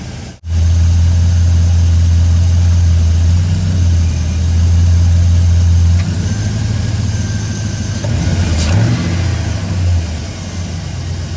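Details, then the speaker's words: 5.3 V8 truck cold start after fixing a broken exhaust manifold bolt with a manifold clamp: strong, even idle with no ticking or puffing at the rear manifold; exhaust leak gone. "anyways like i said from inside the truck i can't hear the exhaust leak at all"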